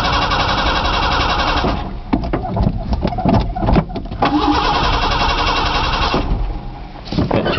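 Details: Truck on its first cold start after sitting about two months, with a new battery and the fuel pump audible: repeated cranking bursts at a steady starter rhythm with no firing. Crank no-start; owner suspects it is out of gas.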